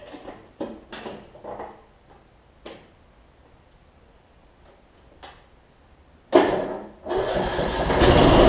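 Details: Troy-Bilt Bronco mower after deck weld, blade change and replacing a broken transaxle spring: a few clicks and knocks, then the engine catches and settles into a steady, even run; sounds healthy.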